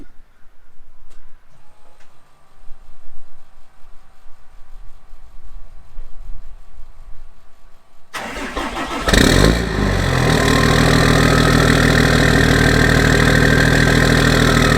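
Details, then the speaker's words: 2008 Cummins diesel pickup right after a water pump replacement for a coolant leak. Quiet at first, then it cranks, catches and settles into a steady, even clatter with no knocks, squeals or ticks. No leaks, belt stayed on; normal idle. "So there we have it. It's a little loud because she's running, but we're good. We're golden."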